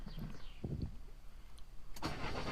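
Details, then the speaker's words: Peugeot RCZ 2.0L HDi diesel after starter motor replacement with a 1.9kW unit: brief faint cranking, then it catches cleanly on the first try and settles into a steady run; normal start. "*Engine goes brum* Ayeee she starts."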